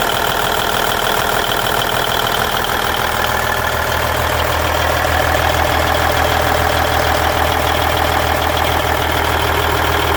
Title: Cummins N14 Engine Sound Noise at Idle 1999 Volvo VNL 610